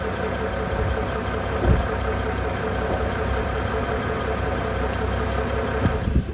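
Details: BMW e92 335i N55 with under 1,000 miles on new rod bearings, cold idle: dull, rapid knock in time with the engine, only when cold and gone when warm; owner suspects rod knock, unconfirmed.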